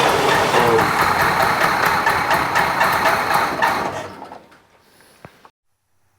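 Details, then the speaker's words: International Scout on a newly fitted carby; the mechanical fuel pump delivers too much fuel, and the owner wonders if the jets are too big. Lumpy, ragged idle of about two beats a second before it dies off; rough running from an over-rich mixture. "as you can see it's running it's not running real good she's running Pig rich basically um even that mechanical pump's delivering too much fuel at the moment"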